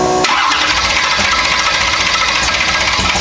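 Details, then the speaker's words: Big-block nitrous Chevy Nova V8 after engine pulled, burnt piston replaced with two new pistons and fuel pump rebuilt: starts right away, settles to even lumpy idle, no knock or stumble, best it has run; owner wants to fine-tune carburetor further, still warming up. "well guys this the best has sounded or ran since we've had it and I'm still not real keen on this carburetor I feel like I can fine-tune it some more"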